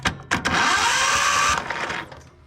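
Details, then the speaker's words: John Deere riding lawnmower that sat for years, cranked with the key; a short starter whir of about a second fades without catching, a weak, slow crank. Owner suspects not enough power is reaching the starter; not confirmed. "for whatever reason I don't know why it's not getting enough power down there so key is on"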